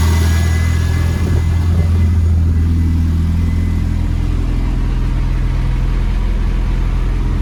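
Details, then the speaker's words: Renault Clio turbo track car, first start after fresh oil and filter with turbo primed: deep steady idle rumble, even beat near 3.5 per second, nothing knocking or rattling, braking fault light still on; runs fine. "Right, as you can see, it runs fine, plenty of lights I saw and everything."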